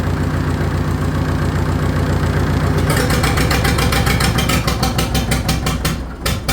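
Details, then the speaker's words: Farmall 650 diesel tractor: deep diesel rumble turns to a lumpy, uneven chug, then fades and falters as the fuel shut-off lever keeps dropping and slowly closes fuel; lever jammed behind hydraulic line as fix. "Well, here's the problem. This lever wants to keep dropping, so that's why it's slowly shutting the fuel off."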